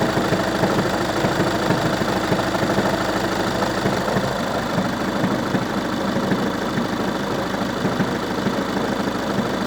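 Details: Volkswagen Passat B6 1.9 TDI diesel idling: steady fast ticking knock about two per second over the usual clatter; abnormal engine knock, cause not pinned down.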